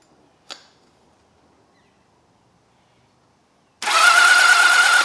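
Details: Old four-cylinder motorcycle (XJ650/CBX750 project) cranked with the plugs out during a spark check: a faint click, then a short, steady whirring crank of about a second with no firing; normal starter cranking, and spark is seen on the leads.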